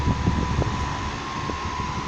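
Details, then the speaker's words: Britânia table fan after balancing the unbalanced blade with a dab of epoxy putty at the right spot: steady, even whir with clean hum, no wobble or rhythmic thumping; blade runs smooth and balanced. "Eu achei aqui, ó, o balanceamento. Olha aí, ó. Vou ligar ele aqui, ó. Perfeito, ó."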